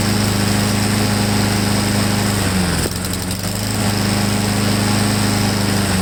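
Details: Honda-powered Husqvarna mower: drones steadily, then stumbles and dips briefly before recovering, running rough; owner doubts the choke, suspects the carburetor emulsion tube needs removing. Cause unconfirmed.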